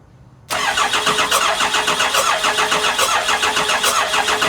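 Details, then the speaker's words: Cummins diesel with VP44 pump, 199k miles, briefly fired on ether: the starter spins it steadily about four beats a second with no firing; cranks, won't start, owner suspects a fuel problem and plans to crack the injectors. "I'm going to try to start it again but I already know my problem is probably fuel related already so let's try it again I'm probably going to have to crack the injectors um and verify that the fuel is coming out"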